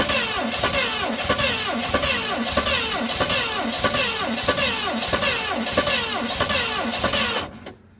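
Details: 1970 Mustang Mach 1 with a weak 2020 battery and low fuel: the starter cranks steadily for about seven seconds but it never fires. Timing suspected off by one tooth; unconfirmed.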